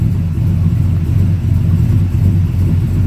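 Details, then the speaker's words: LS-swapped 2004 Dodge Ram during a 5-speed manual swap, second start: deep, even idle with no stumbles or surges. The first start surged and hesitated; owner suspects it is still learning fuel trims. "While sitting here idling, second start, it's not being fussy at all."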